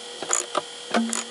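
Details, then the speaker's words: Car or truck windshield wiper motor running: faint hum with sharp metallic clops every few tenths of a second; fully tightened motor mounting bolt contacts the steel plate, fixed by adding metal spacer plates. "my bolt is taking contact in this steel plate and and we can hear this sound"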